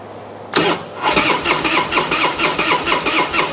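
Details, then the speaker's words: 1999 Harley-Davidson Road King EFI V-twin after priming the fuel pump to purge air: brief crank, then it catches and settles into a steady, even loping idle. "Oh, that sounds good. Yes, I think we got it. Will it start? Let's try it again. That sounds a lot better."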